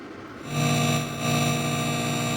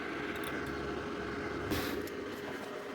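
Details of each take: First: 5.1 manual amplifier with a USB Bluetooth (ESP) audio board switched on and nothing playing: a loud, steady ground-loop hum rises with the volume. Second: 5.1 manual amplifier with USB Bluetooth board, after temporarily soldering a ground wire to the audio board ground: steady airy fan whoosh only, with no low earth hum underneath.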